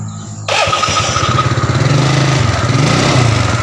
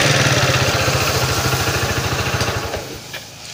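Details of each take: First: Yamaha Mio Soul carburetor scooter after repair (piston rings replaced) for white smoke; engine catches and settles into steady even putter, no knocks or rattles, no longer smoking; running normally. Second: Yamaha Mio Soul carburetor scooter emitting white smoke, mechanic suspects worn piston rings before teardown; small single-cylinder idling with steady low putter, about three pulses a second, then dying away.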